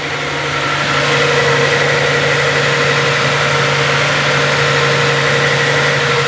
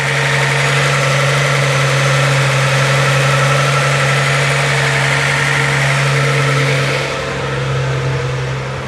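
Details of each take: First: Z car with T-tops on a cold morning start, the day after repair work: a steady, slightly fast idle with an even hum and no misses. The owner suspects the cold start valve's rich running is the cause and expects it to settle once warm. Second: Z car restarted after tightening a fitting to stop a leak: a smooth, steady idle whose note drops and softens as it warms. The fast idle is settling toward normal.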